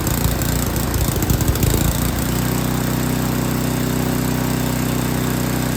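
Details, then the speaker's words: Yard King snowblower that would not start, small engine at full throttle with choke on, stumbles and surges unevenly, then settles into a steady even beat as the carburetor high mixture screw is set; carburetor was not tuned correctly. "a lot of times you can just hear the engine you can hear it's running real rough and then you make an adjustment and it picks up and it sounds better that's that's what you're listening for"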